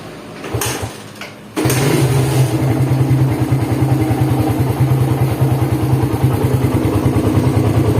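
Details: Suzuki Satria FU motorcycle engine, cold start; after a couple of cranks it settles to a harsh rumbling idle with a gravelly undertone, said to worsen when hot; teardown confirmed badly worn crankshaft bearings with side-to-side play.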